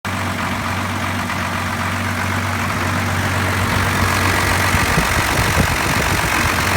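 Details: 1993 Dodge Cummins diesel idling: heavy idle with a slightly uneven beat that stumbles now and then, with lacking power; owner suspects lift pump, injection pump or overflow restriction screw, not confirmed.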